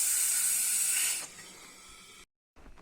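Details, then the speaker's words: Engine with oxygen sensor warning light: throttle body covered by hand while light air is blown into the intake, a sharp steady high hiss of escaping air for about a second then dying away; intake leak. "je vais couvrir le volet papillon afin de fournir en gîte et avec ma main voici le son produit par la fuite"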